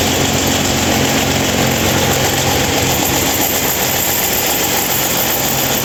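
A steady, even whooshing roar with a low hum underneath and no change in speed; this fan runs much louder than it should.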